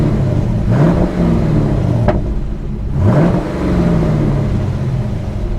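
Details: Hemi-engined salvage-auction car with parking brake on: two clean throttle blips, revs climb smoothly and drop back to idle evenly with no knocks or rattles; normal, healthy engine.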